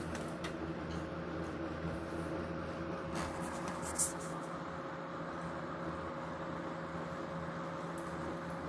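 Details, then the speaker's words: Vintage early-1970s GE mini box fan WC2, bearing in good shape, on low speed: low steady hum with even tones and no rubbing or rattle; normal motor hum. "it's got a bit of a motor hum to it like all of my other ge box fans do and we'll go up to high"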